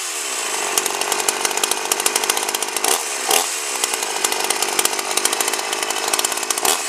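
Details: 52cc GIO chainsaw (bar near 20in), first run: screams at full throttle with an uneven burbling flutter instead of a clean pitch; runs well but wants leaning at the high end. Owner suspects the gas was mixed rich.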